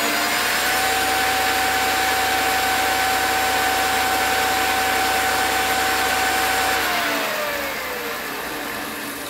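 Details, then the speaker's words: PowerPro upgrade belt drive at 9500 speed, after correcting belt alignment via the eccentric and tension: clean, steady high-pitched whir winding down smoothly, no knocking or slap; belt drive running true. "that sounds real clean real smooth I think I've got the adjustment right"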